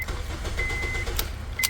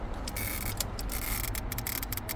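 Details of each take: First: 2007 Honda Civic (8th gen) with key ignition, after replacing the ignition switch to cure an intermittent no-start with start-cut relay buzzing: key clicks, short chime, engine catches and runs with no relay buzz; normal start. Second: 2007 Honda Civic with key ignition, no start: start cut relay under the dash makes rapid uneven clicking and buzzing with key turned, no cranking, fuel pump relay removed; cause is a faulty ignition switch, not the relay.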